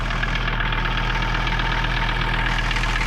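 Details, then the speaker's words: Mercedes 300TD diesel at a steady idle after fixing a no-start traced to bad connections, not the glow plug relay; connections cleaned, quick start. Even clatter about four beats per second, no misfire or hunting. "nice Quick Start less choking and gagging and running a lot better already so we're still working on our uh climate control climate control run running so much nicer now nice idle"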